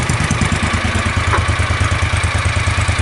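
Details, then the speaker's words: John Deere Gator 625i UTV at idle, about 95 dB before the fix, with a DIY auxiliary muffler held to the exhaust: the notorious popping is gone, leaving a low, mellow, even exhaust rumble. Normal idle with a quiet exhaust. "you can hear it takes out that popping noise, and now it's just a nice low, like a low mellow rumble is what we've got."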